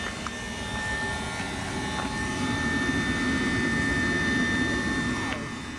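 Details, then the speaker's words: Winnebago Revel 4x4 van after a year and 7,000+ miles, microphone at the heater's outside exhaust: loud steady rushing roar with a faint rapid pulse and thin whistle, the heater working normally but very loud. "So this is the exhaust for the heater right here. Unfortunately, it is very loud."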